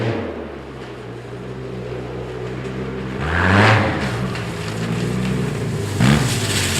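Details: 2010 Arctic Cat Z1 Turbo snowmobile after replacing the heavy, hot OEM muffler with an aftermarket can: deep idle burble, then two sharp blips that rise and fall cleanly; the exhaust note sounds healthy.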